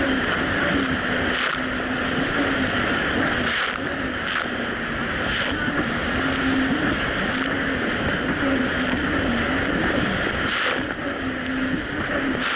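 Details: 2007 Yamaha VX Cruiser jet ski running on choppy Lake Michigan after a $10 fix for surging and bogging, which a narrow gap probably caused: a steady, even-pitched engine drone under wind and wave slap with no surging or dropouts; running normally.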